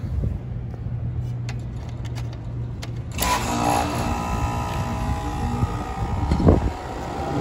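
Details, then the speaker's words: Goodman rooftop condenser that was not cooling starts after no shorts to ground were found on compressor and fan motor: quiet hum, then a steady, even whirring run. "there we have it the system is running we're gonna test the amperage straw on our system right now"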